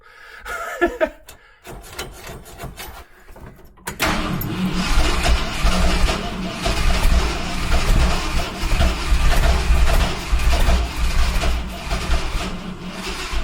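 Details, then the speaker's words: 1971 Ford F100 big-block V8 with makeshift battery wiring, after stuck horn cleared: rattling cranking, then the engine catches and runs briefly on its own with a rough, lumpy note. "that ran off its own steam. It's either going to start or it's going to burn down this time."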